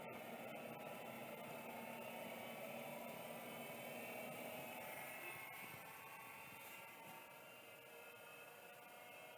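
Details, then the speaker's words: Shugart SA604S hard drive with suspected bad control board: high whirring spin-up keeps climbing well past normal pitch; spindle motor overspeeding, board suspected, thought repairable. "boy that really does get going huh that's definitely way too fast yeah he's exactly right unsurprisingly"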